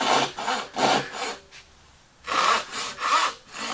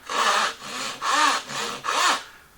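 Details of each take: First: Hand saw starting a cut after being moved over so it no longer fights the grain: light, even rasping strokes about three a second with one pause. It runs freely without catching, cutting smoothly with the grain. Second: Hand saw starting a cut where the grain runs in unsupported on that side: five rough, grabbing rasping strokes about every half second. The saw is fighting the grain and chattering, with blowout on the side.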